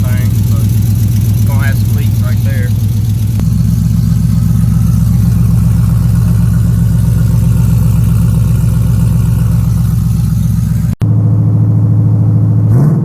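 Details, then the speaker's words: 1992 Chevrolet Silverado with 5.3 V8 swap, first start in probably at least 2–3 months, new single exhaust with one Magnaflow muffler just fitted: steady deep idle with puffing tick on each firing pulse from leaks where the pipe meets the header, not yet clamped; tune needs fixing. "got some leaks right there where I stuck it on the header at it ain't clamp down or anything"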